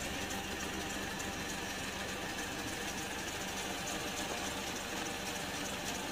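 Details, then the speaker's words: Honda Odyssey idling, found with a mechanic's stethoscope: fast light tek-tek tick steady with engine speed, from the old serpentine belt tensioner. "Kalau bunyi yang bunyi tek-tek itu dari sini Tensioner nyinyir panbelnya dia udah lama biasanya ia bunyi"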